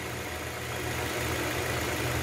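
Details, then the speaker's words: Toyota Corolla that misfired and vibrated, after spark plugs and two injectors were replaced (ignition coils not replaced): quiet, smooth idle with an even hum, no stumble or shake; glass of water on the engine no longer vibrates. "botar um copo d'água aqui ó já não vibra mais nada olha que o motor silencioso"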